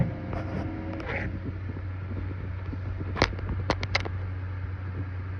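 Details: Computer case, owner wonders if heat inside is the cause; low steady hum pulsing in a slow throb with occasional faint clicks, sudden weird noise while making music videos; rhythmic throbbing hum, cause unknown.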